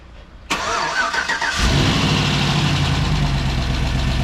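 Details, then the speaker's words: 2007 Chevy Tahoe, first cold start of a rebuilt 5.3 V8 with BTR Truck Torque cam, replacing an engine destroyed by DoD: catches cleanly, steady even idle, no knock or miss; slight exhaust tick from the crossover, burning off residue, normal. "normal I hear kind of a tick oh that's probably just a crossover oh the crossover I can see flying out of the exhaust yeah I was hearing a little bit of an exhaust tick so yep that's just it sounds good"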